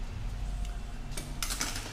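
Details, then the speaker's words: Renault Duster 1.6 with K4M engine: sharp metallic clacks as the brake caliper is rocked by hand, knocking on play in worn guide pins; the pads are fine and the bracket and pins need bushing. "é a pinça ó a pinça Bate bastante tem folga aqui no pino"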